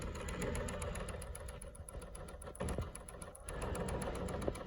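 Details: Hoshizaki ice machine that had been flooding the drain pan: quick steady tick, about four a second, over the running hum; running fine now without overflowing, ticking cause unclear.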